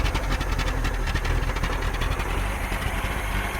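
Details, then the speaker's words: 1982 Datsun 720 4x4, 41,000 miles, probably long unstarted, carb worked on, fuel system cleaner through old gas, warming to operating temperature: fairly even low idle rumble, steady without misses, settling into a clean idle. "that's that's looking pretty good. Sounding pretty good. Beginning to get a little bit warm."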